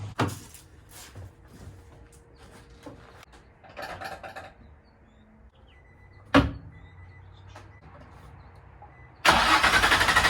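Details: Infiniti G35 at first startup after a five-month rebuild, still needing a tune: quiet cranking, then the engine catches with a rough, pulsing buzzy roar and a bad exhaust rattle that still needs fixing.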